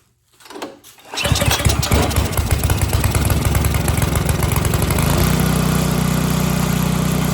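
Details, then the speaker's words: Snowblower small engine after a no-start diagnosis and fix, primed and started on choke: a short pull catches at once and settles into a fast, even chug with no stumbling or surging, running normally. "Sounds pretty good. I'd say that's all right."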